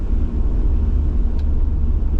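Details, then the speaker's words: Stock 25-year-old Toyota Aristo V300 2JZ-GTE with 4-speed automatic, accelerating hard in hot weather after new spark plugs cured a misfire: a deep, even, strong pull through boost as the second turbo kicks in, with no stumble or popping. Normal turbo acceleration. "It pulls perfectly. Uh the Aristo is back."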